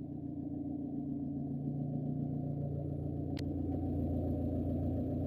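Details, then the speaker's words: Mitsubishi Colt SS engine burning oil and losing radiator coolant, cold morning start: steady raised idle hum stuck around 1500 rpm, not settling; mechanic suspects empty coolant/thermostat so engine temperature isn't reached and ECU idle speed control keeps rpm high. "terus kalau pagi itu di starter mesin nyala rpm nya tinggi lambat banget untuk turun"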